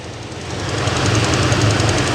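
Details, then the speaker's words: Dodge Ram 1500 Hemi V8 just started after fuel pump relay fix for crank-no-start: cold idle with quick sharp ticking from an exhaust leak at a broken exhaust manifold stud, not a Hemi lifter tick. "y'all hear that chicken noise not a ticking noise ladies and gentlemen that is an exhaust stud"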